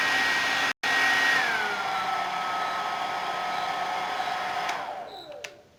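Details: Suzuka hair dryer that would not turn on, after freeing its stuck power switch: strong steady whir, brief cut-out, even tone easing down as switched off; motor running normally.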